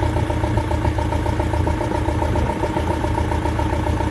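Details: Land Rover Defender Puma 2.4 TDCi diesel just after its first start following rebuild (new wiring loom and oil pump, fuel bled), windy outdoors; a steady, even diesel idle with no knocks or misses.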